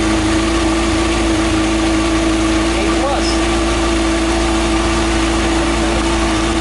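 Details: 2013 Kawasaki Ninja ZX-6R (636) after valve clearance check and adjustment, aftermarket manual cam chain tensioner retightened: steady even idle, constant mid hum, no ticking or rattle; healthy.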